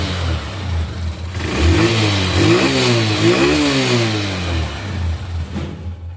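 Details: Motorcycle after service, with clutch and gear shifting set up to restore top speed: the single engine revs up cleanly and drops back smoothly with an even pitch rise and no knocks or rattles; it sounds healthy.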